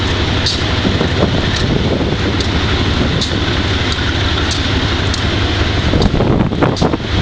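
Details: Wimpy MTL B30-7 diesel locomotive: a heavy rumble with an uneven, lumpy beat and irregular thumps over yard noise, misfiring on bad injectors. The air intake and some injectors were changed and the valves checked.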